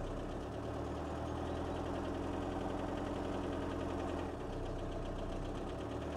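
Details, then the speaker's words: Mini Paceman started after long storage: uneven lumpy idle with irregular beat and a dip, won't rev, clicking; rough running, cause unknown. "uh it wouldn't rev it's clicking okay it it's trying to Rev"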